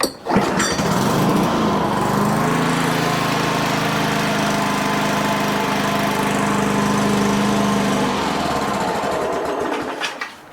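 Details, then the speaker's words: Older Toro 21-inch self-propelled mower, sat dry about 10 years, cold, started without choke after starting fluid: catches with a buzzy rattle, runs about two seconds, then fades and quits; runs briefly then stalls. "I mean, granted, it's cold. I mean, it ran for like, what, 2 seconds?"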